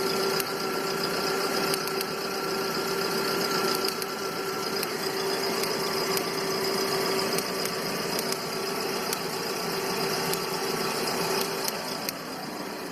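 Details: 2009 VW Gol G5, 30,000 km, at idle: a sharp tick recurs unevenly about every second, with jolts and RPM drops. Cause unclear; shops variously said normal, lifters, or a cracked ignition coil plus a worn throttle body.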